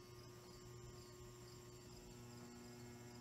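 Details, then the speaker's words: New-old-stock Lesslie Locke spinner ceiling fan with stiff bearings and a stiff spot in the lower bearing, on a solid-state variable speed control: low mains buzz with a faint high whine and no smooth spin-up; the bearing won't quiet and may need replacement. "first of all i can't get that bearing quiet and i had to crank it up just to get it to move see"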